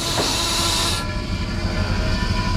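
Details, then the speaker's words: Truck trailer with foot brake applied: loud sharp hiss of escaping air underneath for about a second, then cuts off leaving engine rumble; leak from a disconnected trailer service line at a loose, wire-tied service/emergency multi valve. "All right, I see it. The service line. Something's missing here. Let's see. There's a line off right there."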